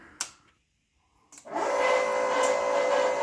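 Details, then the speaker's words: Fuel Lab fuel pump on a motorcycle at its first methanol fire-up on RC car batteries, in a cold closed garage: a couple of clicks, a pause, then a steady, even mid-pitched whine. The pump is running normally. "you hear that monster pump running there fuel lab stuff is really cool"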